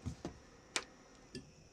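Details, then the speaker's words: Weedo ME40 single-nozzle 3D printer before bed leveling: three or four sharp, uneven stepper motor clicks as the axes try to home while the printer reports homing failed; the motors are working, and homing later succeeds once the switch is hit. "homing failed why is it saying homie feel i can hear it clicking the motors so i know it's actually working"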